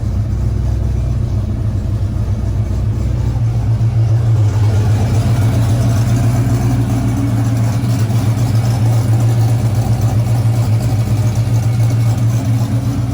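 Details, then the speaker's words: Camaro rebuilt 6.0 V8 with big Stage 4 Brian Tooley PDS cam, second startup after rebuild: deep, even idle with steady lumpy cam pulse, oil pressure still good, fans running, no ticks, knocks or grinding; healthy. "No weird noises. All right, guys, I don't know what to say. It's alive."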